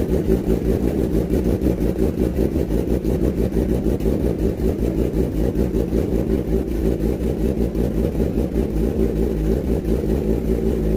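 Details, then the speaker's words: Kawasaki ZX10R four-cylinder after cylinder 3 valve job (compression 172), coolant not yet added: even fast firing with throttle blips, no misses; now starts and runs normally. "ตอนนี้รถก็ติดเป็นที่เรียบร้อยนะฮะ"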